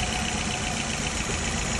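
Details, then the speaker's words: Nissan Altima with multiple-cylinder misfire codes, idling unevenly with a stumbling low thrum; rough idle from ignition misfire. "Lo vamos a encender para que noten el motor que"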